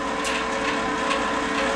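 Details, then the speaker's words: Lincoln Power MIG 210 MP after drive motor replacement, dry feed with no gas and wire feed speed raised: smooth, steady mid-pitched motor whine with light regular ticking from the rolls; the new feed motor runs cleanly and feeds wire. "Drive motor sounds a lot better than the old one did it's actually working so that's a positive"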